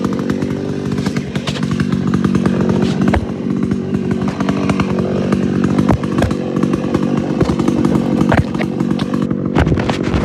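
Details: Homelite Super XL-925 82cc vintage two-stroke chainsaw, governor blocked off, full throttle: loud steady high-revving snarl without bogging or surging; runs and sounds good.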